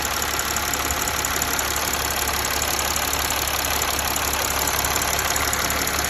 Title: Mercedes ML 280 CDI OM642 Ticking Noise